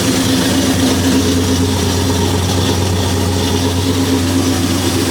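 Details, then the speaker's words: 1973 Impala 406 small-block Chevy V8 after replacing a collapsed lifter and fitting 2-piece guide plates on aluminum AFR heads. Steady, even idle with a low burble on all 8 cylinders. Quiet under the hood and not yet fully warm, with no lifter tap. "So this thing sounded pretty good, firing on all 8 cylinders. So far, this thing nice and quiet up under the hood."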